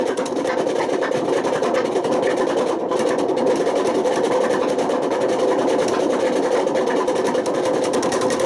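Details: Washing machine running a spin with bad drum bearings: a harsh, rapid mechanical rattle and roar. The bearings damaged the spider and wore the motor; they can overheat, smoke, spark and start a fire.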